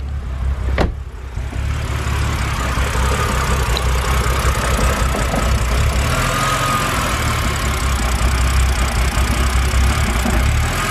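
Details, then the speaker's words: BMW N52 engine: idle drops to about 500–600 rpm after the revs hunt, with an uneven, lumpy rumble; scan shows no codes related to the rough running. Rough idle. "okay so now that the uh now the revs are dropped take a look at the idle and you can even hear it in the engine"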